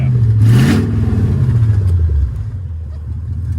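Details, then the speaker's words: 2002 Mercedes-Benz S500 V8 salvage-auction car listed with mechanical damage, first running after starting-fluid attempt, service overdue 22 days; quick rev blip drops back to a low, even, steady rumble, no misses or knocks; normal healthy idle. "She sounds healthy. Idling it, just that's perfect."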